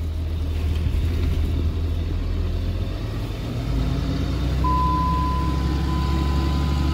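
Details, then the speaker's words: Diesel truck with a newly swapped transmission, no boot or silencer fitted: steady low rumble with only a faint thin tone and no gear whine or clatter. Quieter than the previous G56 was with its full boot; healthy. "funny enough this transmission without a boot or a silencer in between is quieter than the G56 was with the whole Boot and everything this thing's quiet as [ __ ]"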